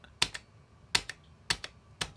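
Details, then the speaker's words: Relay in a model-train switch-mode motor controller (train box) being upgraded: crisp paired pull-in and release clicks repeating about every half second, normal clean relay switching. "without a load oh there it goes now I hear the relay do you hear it"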